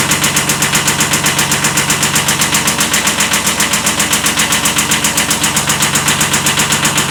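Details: 1979 Kubota B7100 tractor at steady idle: an even, hard knock near four beats a second on every turn, a slight rod knock pointing to a worn rod bearing.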